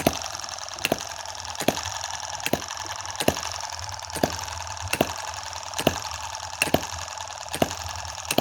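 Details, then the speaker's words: Tiny Chinese M17 4-stroke gas hit-and-miss model engine, play reduced with superglue and oil in the hopper instead of water: soft, evenly spaced clicks about every 0.85 seconds with a light hiss, a slow cycle so heat isn't a worry. Normal running. "you hear that beautiful little clicking noise yeah with such a slow hit and miss cycle we're really not going to be worried about heat here"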